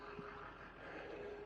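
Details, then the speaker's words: Rebuilt electric drum brakes on the back axle of a 36' gooseneck trailer, all wired up and energized: a faint, steady mid-pitched hum from the brake magnets, normal operation after cleaning, repainting and lubricating the parts. "Well, guys, I got the back axle all done, all wired up. I can hear them all humming. There it is. Brake supplied."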